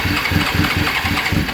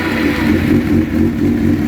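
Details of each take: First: Suzuki GSX-R 750 SRAD, won't start after sitting since September: rapid even cranking with only faint odd firing, some choke applied; sparking is fine, low fuel pressure from a loose pump outlet pipe in the tank. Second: Suzuki GSX-R750 SRAD motorcycle, no-start after sitting since September, now fixed; fuel pump primes quieter: fires and holds a strong, even run with clean throttle blips and steady pulses; normal start and revving.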